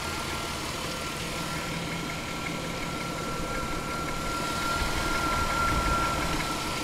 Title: Chrysler 300M 3.5L knocking noise